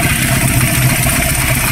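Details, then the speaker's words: Raider 150 FI show bike used for revving, owner says it suddenly got noisy; heavy rough clatter over loud uneven idle, like a dump truck, then stalls; problem inside engine, not a tick, cause not yet known. "Yun mga Kulaog, hindi ko pa alam kung anong naging problema nito kasi pag mga ganitong tunog, parang parang dump truck na Gago! Kaka na dito mga idol kasi ang problema ay nasa loob, hindi man siya lagitig."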